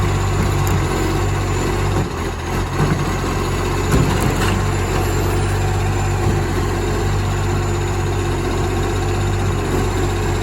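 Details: Moreland garbage truck #FN11487, a spare 22m flat-faced Acco-cab diesel with a massive exhaust leak, recorded from the exhaust side: loud, rough idle with a raw, blatting roar over the low rumble.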